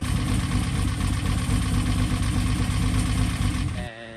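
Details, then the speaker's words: Built engine with unseated rings and heavy blow-by at a rough idle: loud, uneven ticking and clunking through the top end. It is RPM-based, worst at idle and later faded; cause unknown, so the engine was pulled for inspection. "Um the reason the engine is out is because in that footage, you will hear it making a a loud ticking noise, a loud like uh clunking."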